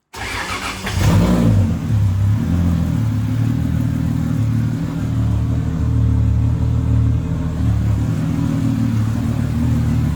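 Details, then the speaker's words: Freshly rebuilt 2JZ in a KE70 Corolla after cleaning another corroded plug and reconnecting unplugged injectors, which had it missing a couple cylinders: catches after a brief crank, revs up and settles evenly; running healthy. "Roar into life. Yes. It's alive."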